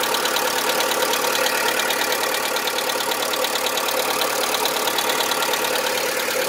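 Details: VW Polo 1.4 16V BUD, regularly maintained, knock began suddenly and grew louder: hollow diesel-like metallic knock about three per second at idle; lifter cleaner, new lifters and XADO additive didn't help; piston slap.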